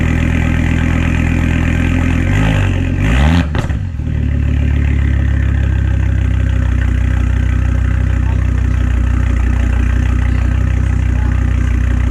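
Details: 2006 Volvo S60R with a new custom stainless cat-back exhaust and temporary blast pipe, no tip yet: cranks, fires with a short rev, then drops to a deep, steady, even exhaust burble at idle. Normal start and idle.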